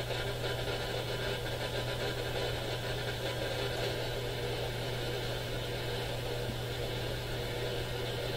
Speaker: All noise all throughout the AM radio band.